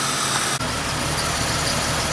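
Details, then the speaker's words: Jeep 4.0 six-cylinder after new exhaust manifold, radiator and fan clutch: test drive from inside, steady, even, smooth engine hum, no ticks or exhaust puffing, much quieter than before the exhaust leak repair. "Running pretty dang good and quiet. So much more quiet, that's for sure."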